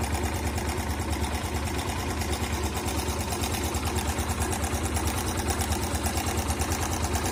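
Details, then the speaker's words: Motorcycle engine at idle with a busy, fast metallic clatter over the low exhaust beat; slack timing chain because the tensioner isn't holding, before manually adjusting the tensioner; timing chain rattle. "कभी-कभी ऐसा होता है कि timing चैन काफी ज्यादा share करने लगती है जिसकी वजह से फिर हमें मजबूरन टाइमिंग चैन की टेंशन है उसको मेंटेन करना पड़ता है"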